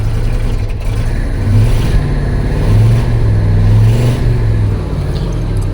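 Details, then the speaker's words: Ford F250 with a 302 V8, abandoned for 7 to 10-plus years, new battery, fast idle: uneven, lumpy, surging running; misfiring heard on at least two cylinders on one side, maybe four total. "I definitely can hear misfiring on this side at least on two cylinders yeah maybe four cylinders total Mis firing"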